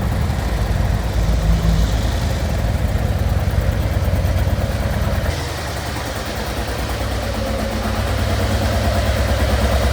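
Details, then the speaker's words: 2024 Harley-Davidson Road Glide, just over 10,000 miles, in limp mode with check engine light: rough uneven revving on one cylinder, little power; failed coil harness connection, previously poorly soldered under warranty. "You turn it on, you'll see that the check engine light remains on, and then in addition, when you try to use the gas, it's running on one cylinder."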